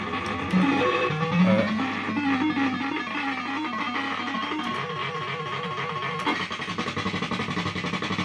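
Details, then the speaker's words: System80 gaming machine, warmed up after running a while: tune plays thin and crackly with some notes dropping out; owner suspects one voice of the socketed 3-voice sound chip has gone. "of the sounds are okay. Look at this, sounds really crackly, doesn't it?"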